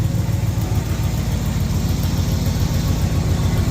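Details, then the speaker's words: 1971 Oldsmobile Cutlass V8, carbureted, running after sitting, with a new battery; steady low rumble with even, lightly lumpy pulse about three and a half beats a second; normal idle. "But she's running pretty good, real good. Try going around all this stuff. Sounds pretty good."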